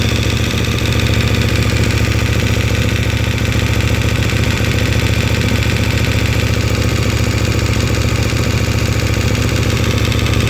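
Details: KTM 1290, since 10,000 km: metallic ticking at about three and a half beats a second at cold idle, disappearing once oil reaches 70 °C; source not pinned down.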